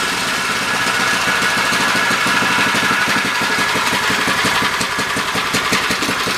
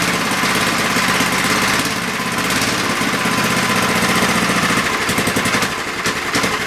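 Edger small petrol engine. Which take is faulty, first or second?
second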